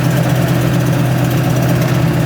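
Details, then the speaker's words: Lifted diesel Ford F250 at about 65 mph, loud deep drone in the cab with a raspy pulse from a bad exhaust leak at the manifold connection right by the turbo. "The exhaust leak. Yeah. Oh, yeah. Does have a bad exhaust leak. Connect right by the uh turbo."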